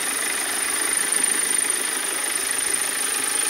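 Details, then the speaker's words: 2010 BMW 520d diesel at idle: faint steady high-pitched ring over the clatter, which fades when revved. Caused by one broken engine mount. "motor kulağı kırıkken Gelen sesi dur arkadaşlar başka bir şeyle karıştırmayın sesi bu motor sakın arka planda bir çınlama sesi geliyor kullanınca"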